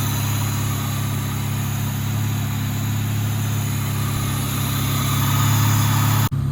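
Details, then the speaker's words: 2000 Honda Civic D16Y7 just started after a crank-no-start: steady, even low idle, about four pulses a second, with no misses or knocks; the start fault is attributed to the distributor, likely its CYP camshaft position sensor. "all right so i didn't put plugs in it i just kept nussing it and it"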